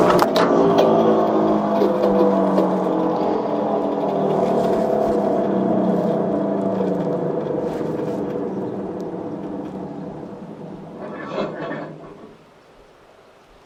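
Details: Entry-level garden shredder, about 20 months old, shredding dry branches after months of storage: even motor drone with a steady chopping rhythm that slowly winds down. Cuts without strain or rattles; normal running.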